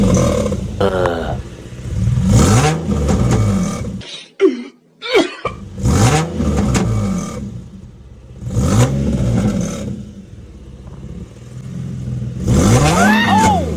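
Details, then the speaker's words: Repeated revs with a raspy puffing edge that grows on load; exhaust leak and missing bolt found while installing exhaust tips, owner links it to warning lights and code P2A00 (O2 sensor). "I got a motherfucking exhaust leak and a missing fucking bolt. That's why it's causing my lights."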